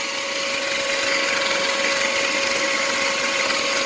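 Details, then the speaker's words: Goodman 14 SEER 1.5-ton AC that wouldn't turn on because the float switch tripped on a clogged condensate drain; shop vac on the outside drain line gives a steady high roar, thin whistle and faint slurping as water is pulled out. "if you don't hear the vacuum then it's still clogged shop back of all that uh that other stuff out of it until you can hear a Clean vacuum sound"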